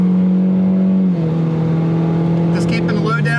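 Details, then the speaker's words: 2020 Ford Mustang EcoBoost 2.3 with a built short block, new cams and a tune: held at high rpm under light load it gives a steady smooth tone with no knock; the knock comes only past half throttle under load and boost. "you don't hear it it's when you get past that half throttle is when you hear it it's not RPM it's with load and boost"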